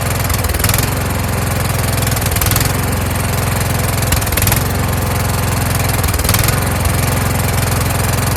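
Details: Kohler Courage engine on a tractor, winter, engine cover off, after swapping in the donor engine's carburetor with a self-returning choke: steady low note with a slow rise and fall about every two seconds. Normal running with a slight surge.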